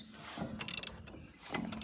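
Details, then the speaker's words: Fire-damaged Shibaura/Stiger SL1543 mini tractor two-cylinder diesel, turned slowly by hand with one finger after valve work: soft clicks and airy hissing puffs as compression escapes past a rusted, pitted exhaust valve and seat. "it's a it's a little two cylinder but you she shouldn't be able to spin her with one finger so I think that's the end of the line for the stiger sharu SL 143"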